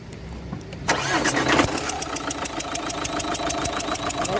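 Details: Opel Zafira 1.9 CDTI catches after a short crank, then a sharp ticking chuff about four per second over idle: compression leaking past injector no. 2, whose copper seal needs replacing.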